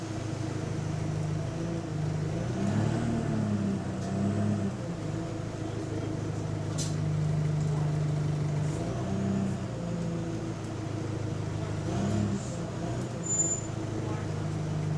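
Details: Diesel bus, GAL SE152 on route 386: drone with a raspy, puffing edge rising and falling as it accelerates; suspected exhaust leak, not confirmed.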